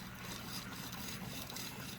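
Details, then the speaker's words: 2000 Saab 9-3 AC compressor pulley turned by hand: faint rough rasping grind; failing compressor, being replaced. "you can hear it grinding a little bit. That's why we're here, folks."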